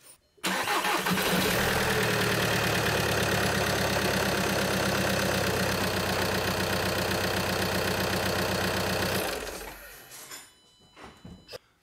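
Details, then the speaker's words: VW Jetta TDI diesel, manual, first start after replacing the clutch kit, flywheel and throwout bearing: brief crank, then it catches and settles into an even, steady idle clatter with no misses or knocks. Normal start and idle. "right so as you guys heard the engine runs"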